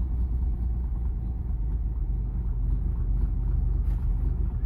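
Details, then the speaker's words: 1937 Plymouth Coupe, original and unrestored, with its original six-cylinder engine, just started cold with the long-throw starter pedal and idling on a little choke while it warms: a low, steady, even rumble with no knocks or misses; normal cold idle. "listen to that thing purr what I'm going to do is pull out the choke just to pinch let it warm up a little"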